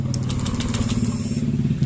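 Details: Honda Beat FI scooter with ECU error; starter whirr catches straight away and settles into a quick, even single-cylinder idle with a steady low thump; starts and idles normally when tested.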